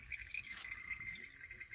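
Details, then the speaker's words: Mansfield toilet: constant hissing trickle with little drips and no refill cutoff, water leaking past the flapper gasket; the fill valve may need turning down. "i'm testing it to try to see if the water is leaking by because of the gasket anymore no i think i got it right i might have just messed with the gasket"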